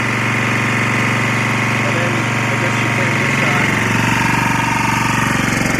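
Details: Lombardini 6LD260 air-cooled single-cylinder diesel on a traffic sign, cold start after 10 years unused, old diesel purged, fresh fuel from remote tank: smooth idle near four pulses a second against the alternator, slight smoke; idling well.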